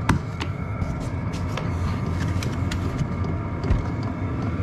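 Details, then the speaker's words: Portable 12-volt diesel air heater in a box, lid on, set from the highest setting down to a lower one: steady low whooshing blower hum with no audible ticking from the fuel pump. Normal blower operation. "you hear the blower obviously blowing and again that's the hot the highest setting"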